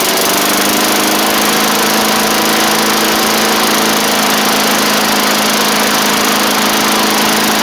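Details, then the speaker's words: 1990s MTD Yard Machines push mower with an old primer-style Tecumseh engine, after the carburetor was dialed in and the throttle screw moved in. High, steady buzz with even pitch and no surging: running normally. "I also moved the throttle cable or the throttle screw in some, so it's throttled up much better now too. Just need to let it run for a little bit."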